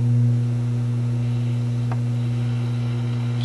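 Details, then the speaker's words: Yugoslavian-built Florida AM/FM/shortwave tube radio on the 49 m shortwave band: steady low mains hum under faint hiss, hum easing slightly at full volume; cause of the terrible hum not yet determined. "Well, I'm sure you can hear the hum now. And if I turn the volume all the way up, the hum kind of goes away a little bit anyway."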